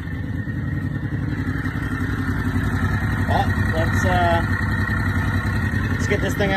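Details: Big Block EZGO golf cart idling just after fitting a new Amazon 780 Comet clutch, replacing a failed CVT Tech clutch, with the belt refitted. Steady, even thumping idle with a mid-pitched pulse, no knocks or slipping noises; running normally.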